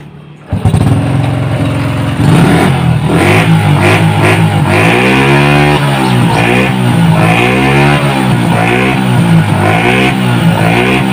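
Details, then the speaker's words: Small motorcycle after repair for a flooding carburetor, black spark plug and hard starting: revs freely and settles smoothly with even firing. Faults were found in the carburetor manifold and valve clearances set too tight; it now sounds better than before. "sekarang bunyi dari motor ini sudah lebih bagus ketimbang ya awalnya"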